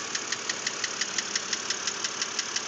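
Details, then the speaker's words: 2006 BMW Z4 3.0si, about 19,066 miles, at idle: sharp even tick five or six times a second, steady top-end knock persisting after lifters were replaced. "Z4 3.0 SI it was in once before to have the lifters changed to try to get rid of this knock but uh it didn't do anything as you can tell"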